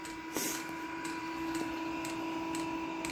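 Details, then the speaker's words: Diesel air heater during startup before ignition, still blowing cold air. A steady fan hum builds gently and evenly with a few small clicks: normal fan spin-up. "Fan is picking up now, so hopefully we'll have some hot air coming out that other end shortly."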